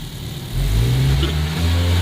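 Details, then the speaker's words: 600 hp K24 turbo Honda Civic race car with a freshly rebuilt manual gearbox and new bearings, pulling away in first: engine revs up with no low gearbox drone as heard before; the box sounds quiet and healthy. "I already don't hear a low gear from the gearbox. You used to really hear a lower sound, bro."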